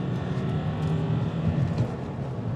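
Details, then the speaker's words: Diesel car with codes cleared and V-Power diesel added: on-road wide-open acceleration revving cleanly to 5,000 rpm without limp mode or warning beeps, no hesitation, road and wind noise; normal acceleration. "5,000 RPM, no beeping. Wow, yes, that is so good."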